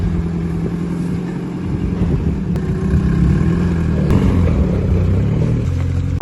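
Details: Turbo Honda Civic with an eBay turbo, first start after the build, fuel pressure at 60 psi: a deep, steady four-cylinder rumble, revs rising and settling smoothly with no knocks or ticks; freshly started engine running healthy.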